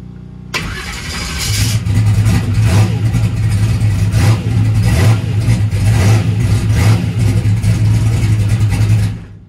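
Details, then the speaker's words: Boosted small-block Chevy V8 race car restart testing new battery setup: brief brisk crank, voltage dips to about 12 V, V8 catches at once into steady lumpy rumble; healthy start. "man, I think I'm going to be very happy with this battery stuff. I mean, it drops down to about 12 volts for a second, and then it kicks right back on up, or drops a little bit below 12."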